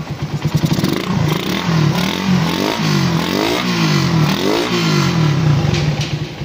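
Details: Suzuki Raider 150, restarted after valve clearance adjustment with a feeler gauge: picks up smoothly through several throttle blips and drops back, no rattle or ticking; healthy.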